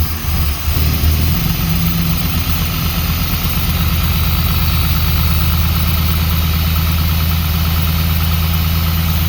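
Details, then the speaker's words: 1945 Jaguar MK4 2.5 cold start after a wash, running on a makeshift choke. It catches quickly and holds a steady low idle with an even pulse and no obvious misfire. Owner suspects ignition isn't left on long enough for the pump to fill the float chambers. "So we're still using our makeshift choke here. And let's hear it for a cold start."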